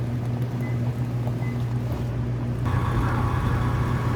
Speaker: I can hear it run. But man, that whine, that bull gear is so loud. It's bad.